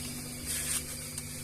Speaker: Nah jadi lihat dan hampir kayak ndak berbunyi tuh gak terdengar halus banget akan tetapi di dalamnya sudah sangat dingin sekali